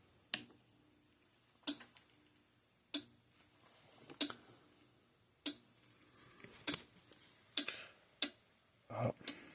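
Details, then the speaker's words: Parmak Mark 5/Mark 6 electric fence charger on the bench: sharp ticks about every 1.25 s that shoot over the green, then turn ragged and stop as it shuts itself down. The capacitor was ruled out, and the cause is still unknown. "See? Did the same thing. See, it started off real good. Turn it off. Shot all the way over the green for a few times, and it shut itself back down again."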